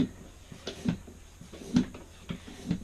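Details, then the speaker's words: Tubeless 2.3" mountain bike tire on an Arc 30 mm wheelset, seated without a compressor, valve core still in: sharp irregular pops about once a second over a quiet hiss as the bead snaps up onto the rim seat. Normal bead seating. "there we go that's that's pretty wicked like it just pops on there no worries"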